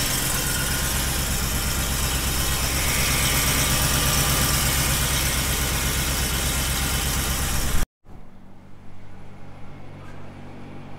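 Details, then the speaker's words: Shelby (Super Snake) Ford F150 V8 with long-tube headers idles with a deep, steady, even pulse after a V-band install fixed the exhaust leak; no ticking or puffing, normal idle. "it appears that the exhaust leak is fixed we were just down there just checking it out making sure everything's good uh pretty glad about that"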